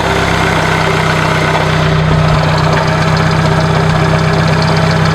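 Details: 1996 Dodge Neon at steady idle, mic moved around the engine bay: worn-out alternator bearings make a nasty grinding/scraping noise with a constant whine from the front accessories, much louder when revving, easily mistaken for internal engine noise; troubleshooting confirmed the alternator.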